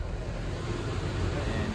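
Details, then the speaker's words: Car idling with EGR valve commanded open by scan tool (20–30%): idle drops into a low, sagging, uneven loping pulse as exhaust gas recirculation upsets combustion; confirms the EGR valve works. "So we have the car idling right now. So I'm not sure how well you can hear it, but it does make a difference. It does work."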